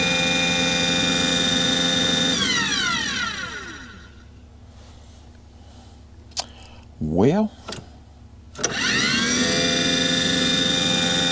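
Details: Aquahot 400D RV diesel boiler: a high steady burner motor whine winds down, goes quiet, then spins back up with no combustion rumble. There is no raw fuel smell. The motor turns but never lights.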